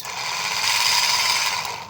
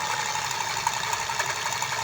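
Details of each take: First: Buffalo rechargeable sprayer with weak spray, opened up: the small pump motor runs with a high, gritty whirr and a raspy, ratchet-like edge because it is rusted inside. The motor is still usable. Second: Buffalo rechargeable sprayer with weak spray, opened: a steady high motor hum with an even buzzing shake. The off-center, oblong bearing is supposed to vibrate to drive the pump, so this is normal eccentric-bearing vibration.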